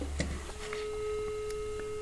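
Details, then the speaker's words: Landline telephone after replacing a sulphated (corroded) RJ11 connector that caused no line: a click from the handset, then a clean steady low dial tone comes on and holds; line restored. "tal como podéis Escuchar ya tenemos línea problema del conector que tenía inicialmente el teléfono que el mismo estaba sulfatado"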